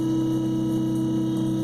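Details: A Minn Kota i-Pilot trolling motor runs after the lower unit is aligned to the sweet spot. It gives a steady, even hum at constant pitch with no drag, spinning freely.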